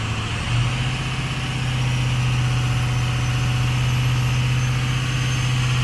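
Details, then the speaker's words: Ford F250 diesel, 190,000 on the odometer, 4-inch exhaust with big muffler: low idle hum that starts slightly rough then settles even; slight exhaust haze; normal idle. "yeah started off a little rough but now I think we're okay"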